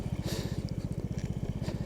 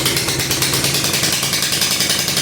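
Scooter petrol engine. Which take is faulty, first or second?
second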